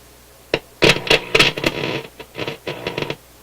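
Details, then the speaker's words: Motorola MK 56-H five-tube radio warming on light-bulb restricted power after new filter capacitors soldered in; irregular sharp crackle and scratchy speaker noise coming and going; owner suspects flexing the board cracked a trace. "Could be when I soldered in the new capacitors, I've oh, there we go. I've disturbed the board. I was doing a lot of flexing on the board there. Could have cracked a trace or something of that sort."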